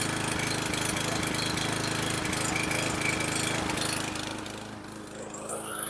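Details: Junk lawn mower bought from a scrapper: small single-cylinder engine with a rapid, uneven beat that stumbles and sags near the end; rough running with hesitation, carb clean planned.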